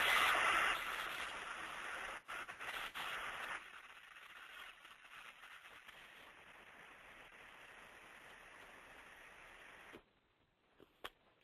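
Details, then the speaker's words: Electric motor bearing heard through an ultrasound instrument while being greased: a loud crackling hiss of separating, popping grease drops in steps to a quiet, even rush as the grease reaches the bearing. "I don't have to say anymore that sells it all right there you can hear the grease hit the bearing the thing ultrasound is going to do is it tells us when the bearing needs grease it tells us when it's got enough grease"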